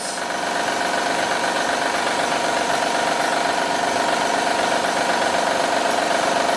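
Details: 2010 Honda Odyssey 3.5L i-VTEC at idle, heard in the engine bay, with a loud steady metallic rattle at about four beats per second. The timing belt tensioner was diagnosed bad and must be replaced first, and more problems are possible: timing belt tensioner knock.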